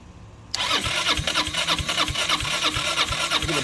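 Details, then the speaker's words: 2006 Zhejiang Kangdi 250cc kart on start fluid and gas: fires and chugs in weak uneven pops about three a second, never settling; worn engine with low compression and blow-by, rings, pistons or bore suspected. "yeah she's she's wore out that's why she went on fire"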